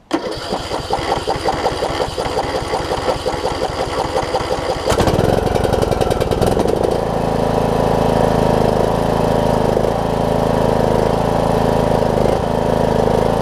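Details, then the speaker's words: John Deere D105 riding mower, 62 hours, sat unused for an unknown time, first start after fuel got into the fuel pump: brief rhythmic cranking, then it catches into a steady, even single-cylinder idle while warming up; normal start and idle. "It was that easy. Down to let it warm up. That's all it took. That thing almost started right up."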